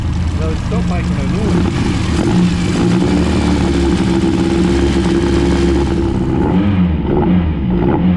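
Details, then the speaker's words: TVR Cerbera idling smoothly and evenly after disconnecting one sensor and running on the other; it barely ran on that sensor alone. A rattling noise was heard before, owner wonders if spark-related. Normal running. "now that's that's way better than it looks yeah this here I tried running on just that sensor yeah and um it it barely ran but as soon as you disconnect this one and just run on that one like a brand new car"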